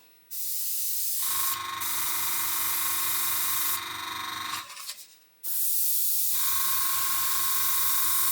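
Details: Gaahleri Mobius TG 0.5 airbrush after the paint was thinned to cure a no-flow problem: even hiss in steady bursts with clean starts and stops over the compressor hum, now spraying properly.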